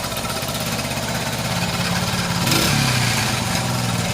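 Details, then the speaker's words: Restored Honda XL100S with a new genuine exhaust, cold day, putters evenly at idle then a quick blip picks up smoothly and settles back; normal idle and revving, sounding very different from before. "Yeah, it's on. Sounds loads different to what it did."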